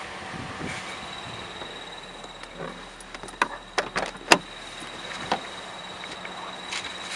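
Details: 2010 Toyota Corolla with manual transmission, in neutral at idle with the clutch fully released: irregular sharp chirps and a thin high squeal from a worn clutch throwout bearing, which was later replaced.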